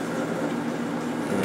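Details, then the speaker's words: Whirlpool Accudry 40-pint dehumidifier, late-1990s or early-2000s, reciprocating compressor, on high fan: even airy whoosh over steady hum, no surging; odd amp and hertz readings blamed on a faulty meter, not the unit; normal running. "yeah there's nothing wrong with the dehumidifier it's just the the meter is screwed up"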